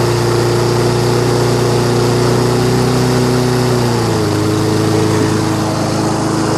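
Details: Toro SR4 Super Recycler 20381 mower with a Chinese clone engine, carburetor cleaned: it runs steady and fairly even with a brief mid-clip dip, sounding healthy; it restarts hard after shutdown; cause unconfirmed.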